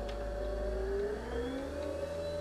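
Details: Mobility scooter driving forward at full speed after throttle pot replacement and centring; steady motor whir dipping slightly then climbing and holding, brake clicking off when lever pushed; normal operation.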